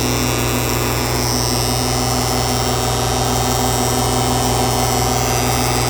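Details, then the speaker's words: Magnetic contactor switching a running air compressor: a steady, coarse mains-pitch buzz like a cicada sits over the compressor. The contactor is chattering because its core face is oxidized and dirty. "Vou ligar lá ela continua com barulho parecendo uma cigarra"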